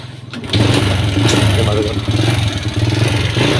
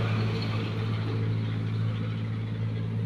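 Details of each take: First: Honda Wave S single-cylinder with worn engine and smoky exhaust: catches and settles into fast, light ticking from the cylinder head when revved. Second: Honda Wave S single-cylinder after new piston, rebored cylinder, new cam and rocker arms, fixing head clatter and white smoke: smooth, even low hum at idle with no knocking or ticking; engine healthy.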